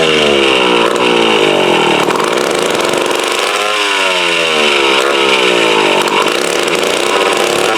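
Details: Mid-1950s Strunk Speed Demon chainsaw (likely the Pro, 24" bar), bar and chain off, unused since the early 70s. Screaming two-stroke pitch rises and sags every couple of seconds. Surging blamed on a carb needing a rebuild kit, dirty tank, ignition good.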